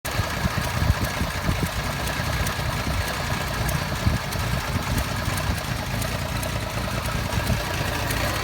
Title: Fj60 rough idle